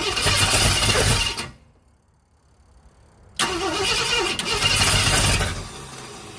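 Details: 1965 Ford Thunderbird after rebuild, points ignition set at 6° while checking with a timing light: engine turns over steadily, stops, cranks again without catching; no firing, timing suspected.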